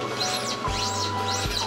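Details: Mercedes-Benz C-Class in for underbody noise, heard with car lowered on its wheels as body is bounced: high mouse-like chirping squeaks rising and falling with each bounce, traced to a worn front control arm.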